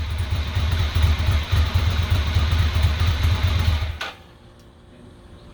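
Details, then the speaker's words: 2006 Ducati Monster S2R 800 after new fuel pump and cleaning a clogged front-cylinder injector that had left it running on one cylinder: even, steady V-twin idle with regular firing beat, no missed pulses, before shutdown; normal running on both cylinders. "so now she's running well on both [Applause] cylinders"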